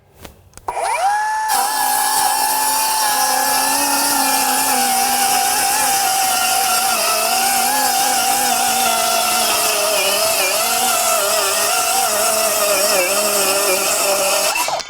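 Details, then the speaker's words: Metabo HPT C1807DAQ4 18V MultiVolt 7-1/4" cordless circular saw in silent mode (2,000 RPM), 4Ah battery, cutting two sheets of 1/2" OSB: steady high whine holds pitch, dipping only slightly under load; held 2,000 RPM, a little quieter, cuts normally. "Well, you would think it'd be much slower at 2,000 RPMs, but it really held that 2,000 and it seemed to be a little bit quieter."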